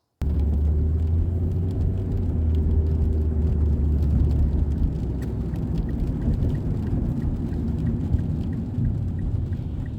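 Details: 2006 Mazda 3 2.0 L, road test after replacing the main engine mount and the lower transmission mount: steady engine and road drone under rain hiss, with no rattles, pops or clunks; normal driving.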